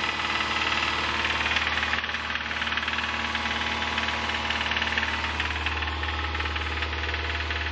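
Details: 2005 Subaru Impreza 2.5RS flat-four, 100k miles: steady, hard rhythmic knock, roughly 160 a minute, pounding through idle; teardown showed a bad #1 rod bearing, and the engine was replaced with a used one.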